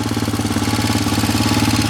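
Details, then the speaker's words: Roketa ATV single-cylinder engine idling after a ride with the oil level checked: quick, regular tapping on each firing pulse that gets louder and louder; engine tapping noise. "as you can hear it start to tap them"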